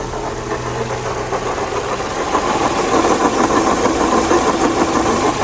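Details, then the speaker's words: Chevrolet Tracker engine at idle, with a loud, rough whirring rattle at the front of the engine, steady with speed, before the pump was replaced; the water pump has play, and its worn bearing is the source of the noise. "Acá tenemos eh que pueden escuchar en la bomba de agua, un pequeño juego y de ahí venía todo ese ruido prácticamente infernal de la bomba de agua."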